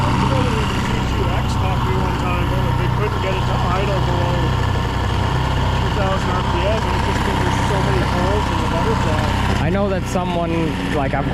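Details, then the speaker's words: First test run of a rebuilt 1976 Mercury 650XS race outboard, back after sitting 20 years, on a 13ft Delta T850 race boat in choppy water. It starts well and holds a steady, even, clean idle with no misses, knocks or hunting: normal idle. "I've heard that this motor is half of a T2X, but that seems to run and idle perfectly fine."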